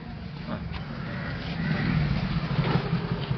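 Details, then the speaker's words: Bajaj Compact CNG auto rickshaw, after fixing a broken wire at the stepper motor socket: single-cylinder putter holding a steady, even beat of about four per second with no hunting; idle now stable, problem solved. "இப்ப ஐலிங் பக்கவா நிக்குது so problem solve தான் wire தான் cut ஆயிருந்தது problem வேற ஒன்னும் இல்லை"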